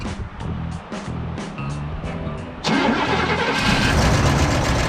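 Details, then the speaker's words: Free 1972 Cadillac Sedan DeVille big V8, first start with ether, accelerator pump bad: light even ticking three to four times a second over a smooth idle with no misfire; source unconfirmed. "Listen to that bad boy tick. Tick, tick, tick, tick, tick, tick, tick."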